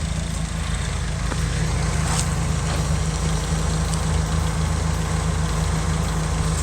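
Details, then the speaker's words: Nissan S14 Silvia with freshly built replacement SR20 (DE+T, N/A block) after swap of blown SR20DET, idling after test drive: steady low drone with even pulse, no ticking or knock, no smoke, checking leaks; normal idle. "when it first started it let's dry underneath the motor stop smoking it's not ticking"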